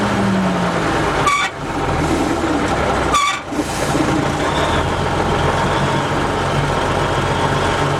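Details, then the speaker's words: M816 military 5-ton wrecker with air-over-hydraulic brakes, diesel idling; pedal goes to the floor with two short sharp air hisses, then the pedal builds up solid again, no outside leak found, cause unknown. "okay so we're right to the floor and you can hear the air leaking okay now the pedal is built up solid again"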